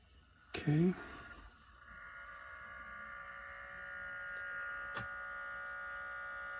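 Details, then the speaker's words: c1960 Midland portable reel-to-reel tape deck, motor started after oiling and cleaning the spindle: thump at switch-on, then a faint, even, steady hum with no wavering or scraping; motor running smoothly. "okay and let's put a start the motor hear the difference what a little bit of oil does to the motor"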